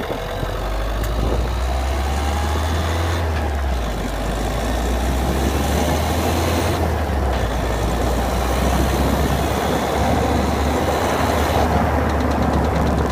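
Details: 2011 Citroen DS3 110 HDi diesel at idle: diesel clatter with a faint repeating click about four per second over the low rumble; cause not identified.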